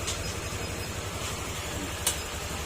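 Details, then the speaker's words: Yamaha Aerox 155 scooter, long stored, that would not start and ran noisy: now idles with an even, steady putter and no ticking or clatter. Running quiet and healthy, though the damaged fuel pump still needs replacement. "At ah tahimik naman na dahil wala naman kumakalansing na."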